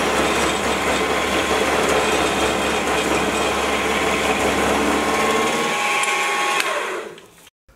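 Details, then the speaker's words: Small 100 kg milling machine taking a 2 mm width of cut in steel: loud rough hissing cut with a ringing edge and steady motor drone; chatter from low column rigidity, before fitting a stiffening plate. "that was a two millimeter width of cut and steel and you could probably hear that it was starting to sound pretty rough by the end"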